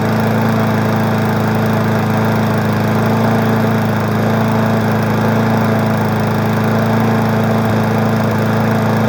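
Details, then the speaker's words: Weed Eater 20-inch mower, woken up after storage in spring: a steady, even single-cylinder drone with no shake or misses, somewhat smoky. Normal running. "Well, the two easy ones are woken up. I'm gonna tell you the truth, this one doesn't shake."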